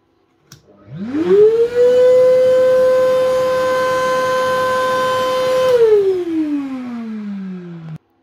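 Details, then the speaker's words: Metabo vacuum (hoover) in for service, used for wall-chaser dust; runs and works: motor whines up quickly to a steady high pitch, holds even, winds down smoothly when switched off; normal running. "Now I don't think there's very much wrong with this thing. It's running and it's working."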